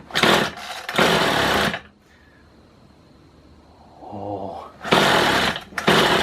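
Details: Kawasaki two-stroke hedge trimmer after new piston rings were fitted: it revs crisply in bursts, settles to a quiet idle between them and picks up cleanly. It is running well.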